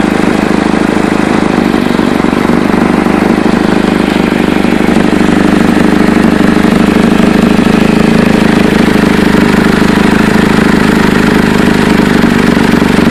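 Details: Chevy Cobalt at steady idle with rapid, irregular chuffing ticks about three a second, like exhaust escaping before the muffler; leak suspected at the flex pipe or manifold, not confirmed.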